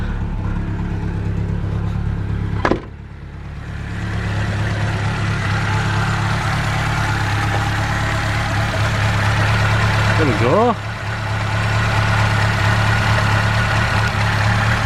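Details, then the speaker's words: Ford Capri idling steadily at 1,000 rpm with oil pressure up, after the timing belt snapped at 50-60 mph and a new belt and refitted water pump went on: smooth low beat, no slapping or clatter; engine runs sweetly. "So, I'll run it again just, you know, so you can see it as well. But, um, yeah, it sounded sweet. So, I'll give it a run for you. There we are. 1,000 RPM. Oil pressurees up there."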